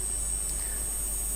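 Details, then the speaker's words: Hazeltine 2000 terminal CRT monitor, unused for over 40 years, on test with a video signal fed in, heard on the camera microphone: thin, steady high-pitched whine that never changes pitch; the usual flyback whine, nothing wrong. "it's also making some noise you can possibly hear that on the camera microphone it's not too bad just a bit of the usual wind from a monitor like this"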